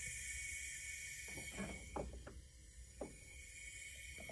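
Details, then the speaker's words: Abarth 500 engine during leak-down test, pistons at top dead center, each cylinder filled to 120 PSI, almost no leakage: steady airy hiss with light clicks, air escaping only at oil cap, none at coolant tank; normal crankcase leak-down hiss. "we determined that it was coming from the oil cap. And that's the only place that it came out of, and nothing out of our coolant tank, which is what we were expecting."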